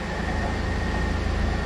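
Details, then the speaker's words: 4th-gen Camaro after misfire fix (broken spark plug) and coolant refill: steady, even low rumble at idle, smooth under a little throttle, no stumbles or skips; engine running smoothly. "Idol's fine Idol's good it's a give her a little juice and see what happens nothing she sounds so smooth"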